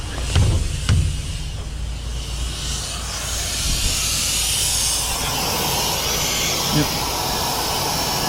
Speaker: brake lights turn signals yeah we are leaking air back here